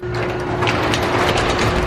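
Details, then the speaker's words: Turbo Mazda Miata moving after a gear-engagement fix: steady ratcheting, gear-like clatter; shifting improved but the cause of the noise is unknown. "I think we fixed the issue but that noise is a little concerning I'll keep on driving it and I hope it goes away"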